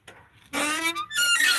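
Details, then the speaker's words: Truck door opening with a loud rising creak and shrill, drawn-out squeal; dry door hinge needing oiling. "some oiling to do oh oh my god it's just so bad listen to that"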